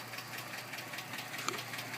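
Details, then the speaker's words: 2007 Dodge Magnum 2.7 with 87,000 miles: quiet idle with a light, fast, fairly even ticking on top that came on suddenly; owner suspects lifter tick, cause not confirmed. "Magnum got a lifting noise going on on it it's got 87,000 mil on [Applause] it"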